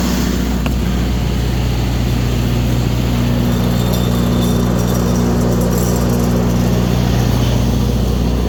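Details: Kohler 100 generator after fixing swapped sensor wires and replacing a four-year-old battery that caused overcrank no-starts: loud, even drone with a constant low tone, no misses or surging; runs normally.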